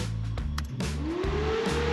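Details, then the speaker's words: Electric Volvo V50 with Nissan Leaf motor and Zombieverter, cooling fan rewired and reprogrammed, threshold set to 15° at about 20°: whirring climbs in pitch as fan spins up, then holds even beside low hum; fan control working. "And you can hear the fan kicking in. So, this fix is done. So, Damian can now be satisfied with how the cooling fan is controlled."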